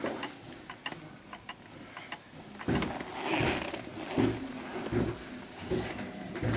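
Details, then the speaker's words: 1930s Garrard Art Deco oak mantel clock, 8-day pendulum movement, pushed slightly off level: soft, uneven ticks about once a second instead of even tick-tock; out of beat and stops. "It's not tick- tocking. It's ticking more than talking. So let's listen. Which means it will actually stop."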